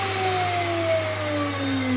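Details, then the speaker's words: 2.2 kW water-cooled high-frequency CNC spindle on its first run, cooled by 5 litres of coolant and an aquarium pump without a radiator: clean, steady high whine easing slightly lower over a VFD fan hum, no rattle or grind; normal running. "that sounds really nice except for the PFD that's blowing really hard"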